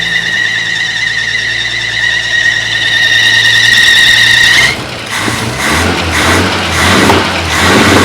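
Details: 1950 Chevy truck, long-sitting, started after fuel system replaced and carburetors cleaned: steady high shrill squeal over the running engine, breaking into chirps; alternator belt squealing, otherwise running well with no fuel leaks.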